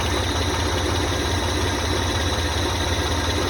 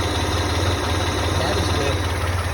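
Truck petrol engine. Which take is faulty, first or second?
second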